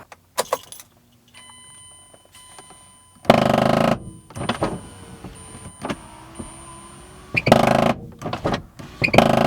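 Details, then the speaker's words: 2010 Mazda CX-7 power window: short bursts of harsh crunching and grinding each time the window runs; window motor gear teeth stripped, to be replaced with a 3D-printed gear. "We will be changing the window motor gear. These are notorious for stripping out. And here's what it sounds like when it is stripped out and has gone bad."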